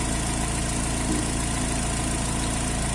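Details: 2005 Astra 2.0 8-valve after replacing a damaged spark plug whose core was spinning, which had caused a typewriter-like clatter: smooth, even idle with steady low beat, no ticking or knocking; problem resolved.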